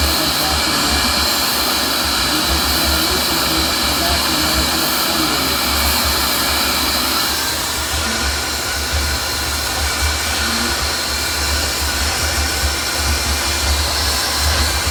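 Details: Shop vacuum motor sucking sand out during a sand change, running normally: steady high-pitched whine and constant airflow rush with no bogging or pitch change. This is how it should sound; pushing it hard into the sand clogs it.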